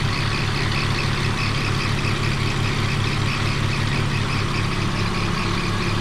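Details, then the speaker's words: 2001 BMW E46 idling after a Motor Medic engine flush for an abnormal ticking: earlier tick no longer heard, but a faint thin chirp over the even idle from an accessory pulley — pulley squeak. "Right now one of my pulleys is actually squeaking. So, but yes, you can't hear it anymore."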